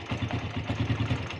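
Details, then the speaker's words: Suzuki Satria FU carburetor motorcycle, hard to start in the morning and dying on initial throttle: idles normally and fine at low rpm, but opening throttle gives uneven stuttering, coughing hesitation; cause was the carburetor diaphragm spring installed upside down. "terus seperti itu, tersendat-sendat, terbatuk-batuk, tersendat- batuk, seperti itu."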